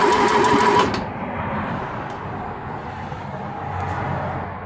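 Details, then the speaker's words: Ford 2.0 Pinto SOHC engine in a Mk3 Ford Capri, unrun for about six months, cranked with spark plugs out to prime oil; steady even turnover that slows slightly as full oil pressure comes up, oil reaching the cam, normal. "so we've got oil pressure there you can sort of hear the engine turning over slows down a bit when you get full oil pressure"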